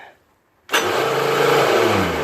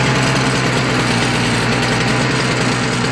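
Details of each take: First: Toro CCR 3650 R-Tek single-stage snowblower, electric starter on choke with carb cleaner sprayed in: loud whir that winds down with no cranking. Starter gear freewheeling without engaging the flywheel; needs grease or a new starter gear. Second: Toro CCR 3650 R-Tek single-stage snowblower single-cylinder engine, after carb cleaning, started by pull cord after priming with carb cleaner. It holds a fast, even, rattly beat without stumbling or dying. Running normally.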